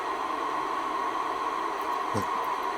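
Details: Icom IC-R8500 receiver, intermittently failing, in a cold workshop, working after unplugging the reference input: steady even static hiss with a faint constant tone underneath, squelch open; normal receiver hiss.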